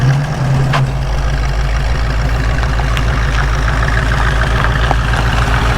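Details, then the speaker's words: 1967 Ford Mustang V8 after no-start diagnosis, now running: steady, even burble with lumpy low beat, idle slightly high; vacuum leak suspected, carburetor may need retightening, full tune planned. "still find that idle a little high I'll look for some there may be a vacuum leak like the carb might just have to be retightened"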